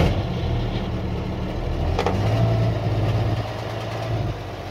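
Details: 1989 Ford Cargo diesel truck, first start after sitting one month, fired right up while checking battery; steady even low diesel rumble settling into smooth idle, no knocks or misses; idling normally.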